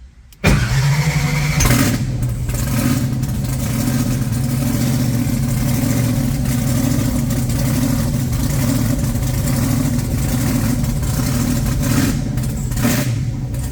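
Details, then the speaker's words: Blown big-block Chevy V8 refitted, with timing set and oil pump primed by drill: brief crank, then a deep, steady, lumpy idle with even firing and no knocks. Normal running. "but it's running really good and I got the timing bang on"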